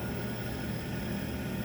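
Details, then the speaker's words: NTI TI100 boiler installed in 2009, calling for heat: the air intake combustion fan runs at full blast with no burner firing and the main circulator pump off. The Sentry 2100 controller showed no lights and is suspected defective, then replaced. "the fan was full blast can hear the fan going full blast but uh it was not firing"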